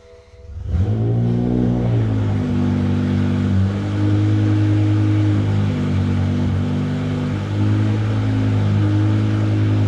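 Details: 2006 BMW M5 E60 with S85 V10, replacement used engine just installed after the original blew, started for clutch relearn: catches after a second and settles into a loud, steady, open-pipe idle with an even beat.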